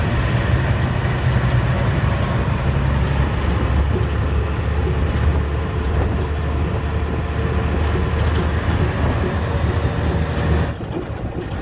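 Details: Hino diesel truck (trailer) heard from the cab's rear sleeper bunk while driving: heavy cab rumble with faint, irregular knocks from the rear wheel and driveline; described as somewhat dangerous but not severe, cause not yet diagnosed.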